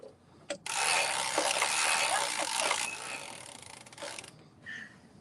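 One carriage sweep of about three and a half seconds, an even rushing clatter with no snags or catches; knitting normally.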